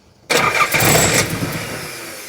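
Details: Nissan 300ZX with KA24DE swap on a new Link Fury ECU and Wiring Specialties harness, first start attempt: starter whirs and the engine turns over hard about two seconds without catching; ignition timing too far out to fire.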